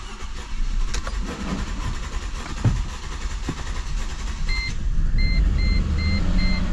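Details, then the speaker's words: 2006 Mercedes C230, about 78,000 miles, idling after codes were erased: uneven stumbling beat with occasional harder thumps; engine misfiring before the check engine light returns, cause not yet known. "there it is I have no check engine light and the car is misfiring"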